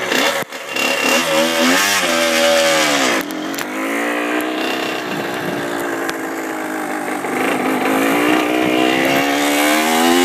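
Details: Honda CR85R two-stroke dirt bike: revs climb slowly then hold a flat buzz with no powerband surge; also makes ticking noises and is leaking antifreeze; cause unknown.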